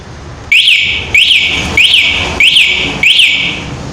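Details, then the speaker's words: Motorcycle with an aftermarket anti-theft alarm armed by its lock button; shaking the bike triggers five loud, high, rising-falling chirps about every 0.6 seconds: anti-theft alarm siren. "तो आपने देखा गाड़ी आवाज कर रही थी।"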